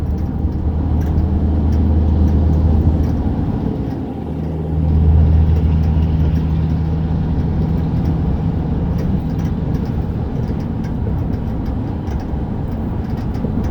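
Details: 2008 GMC Sierra 1500 Crew Cab 5.3, 74,500 miles: faint irregular light rattle over steady engine drone, only while the truck is moving, never stationary; nothing loose found, owner wonders about a pulley or belt.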